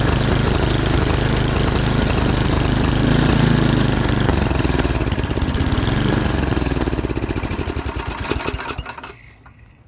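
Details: MTD snowblower with 8 hp Tecumseh engine (24-inch), dirty carburetor bowl, fresh gas, started on choke then more choke and throttle: single-cylinder thumps steadily for several seconds, then slows and dies; it starts and runs but still needs clearing out.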